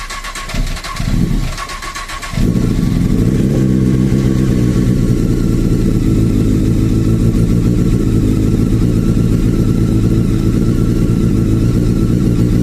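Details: Honda CBR 954 RR, a model known for factory piston slap, which is fixed by fitting CBR 1000 RR pistons and rings: the engine fires after a brief quiet moment and settles into a steady, even idle with no knocking.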